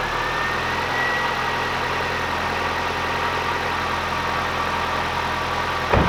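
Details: Nissan Micra 1.2i, previously a crank-no-start with fault code P0340, after fitting a new camshaft position sensor. It starts and holds a steady, even idle with a faint whine and one click near the end. Normal idle.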